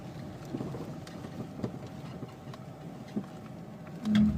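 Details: Toyota Chaser GX100 on the road; faint irregular dull knocks over quiet road and wind noise as the car rides over bumps. Suspension knock, cause not found.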